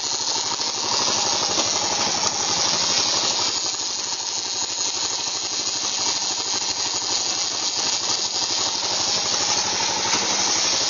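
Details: Yamaha XT 600E running in 3rd and 5th gear: harsh, hissy rasp rides steadily over a faint engine with no clear rhythm; strange grinding from the gearbox, cause not yet found.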